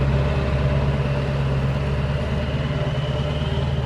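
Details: 7.3L Powerstroke diesel after the one-bank misfire fix: deep, even rumble and smooth, steady beat at idle, no misses or stumbling; running cleanly on all cylinders.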